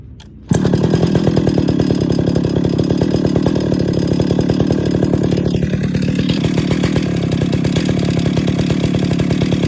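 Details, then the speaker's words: 50-year-old Stihl 031 AV Super chainsaw, first start and tune after a full rebuild: a steady two-stroke wail at full throttle, with the high-speed screw set slightly rich; even firing, no bogging. "now this should be like about 10 to 11 000. so i'm about a thousand richer on the high speed screw than uh i expected but it's a very close guess"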